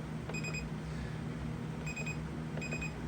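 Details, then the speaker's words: Maytag 2000 series dryer that seems dead: pressing start gives three separate high chirps a second apart over a low hum, a triple-beep error meaning something's wrong. Fault not yet identified; diagnostic mode comes next. "you get a triple beep I mean something's wrong"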